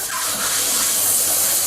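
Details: Heat pump during refrigerant charging: loud, steady, high-pitched hiss while the charging hose fitting is tightened and the hose freezes. Refrigerant is escaping at a loose charging hose connection.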